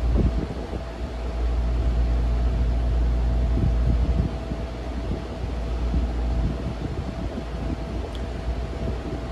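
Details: Vintage Turkish-made RAKS DF-12TK desk fan (110/220 V, 50/60 Hz), after lubrication, cleaning and gearbox plunger repair (had been seized): steady low hum with faint even tone and a few handling knocks, no rubbing or scraping; runs smoothly.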